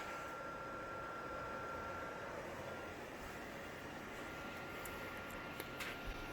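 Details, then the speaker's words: PS4 Pro before cleaning, under load: loud, steady airy fan rush with a faint high whistle that keeps rising; owner suspects dirty vents and fan. "you can hear it starting to fire up now with kiddos in the background song it sounds loud"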